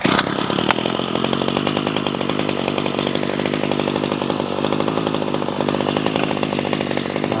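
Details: Ryobi CS26 two-stroke string trimmer after carburetor replacement for no-start, idle raised slightly: steady, even buzz with crisp regular firing and no stumbling or surging; clean, healthy idle.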